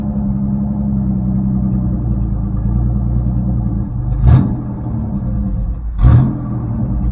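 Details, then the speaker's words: 1984 Chevrolet S10 with carbureted V6, choke off and electronic choke unhooked: low, steady rumble at an even idle with two brief surges, idling perfectly. "Wow, that was weird. It just kind of busted off and idled perfectly."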